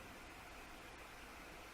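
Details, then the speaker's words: Tronxy X5S 3D printer, not printing or heating, after replacing the stock hot end fan with a Noctua NF-A4x10 FLX, microphone about six inches away; very faint, even airy hiss with no ticking or buzz, much quieter. "okay that's it on and I can already see on the gauge of the camera that it's much much quieter"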